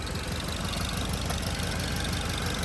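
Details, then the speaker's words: 2010 Ford Focus 2.0, warm after a 10-mile drive, idling with uneven, lumpy, choppy exhaust pulses. No engine codes, and plugs and coils are fine; a clogged catalytic converter glowing orange restricts the exhaust, and the roughness eases at high RPM. "what this is is a exhaust restriction see it it seems to go away at high RPM"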